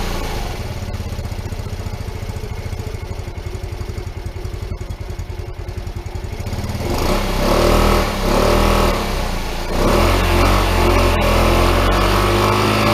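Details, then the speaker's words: PGO T-Rex 150 scooter (about 2012) after carburetor cleaning, jets and side holes having been fully blocked, running on a little old fuel; even single-cylinder idle putter, then smooth rev and settle after idle adjustment; starts and runs well, may need a tune-up. "all right let's start it up pretty good um just needed to mess with the idle there to get it to settle down um it'll need a little bit of a tune-up i think"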